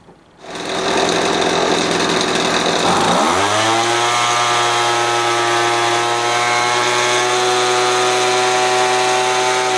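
Two-stroke catches, buzzes high, then drops within three seconds to a clean, steady idle that holds evenly with no hunting.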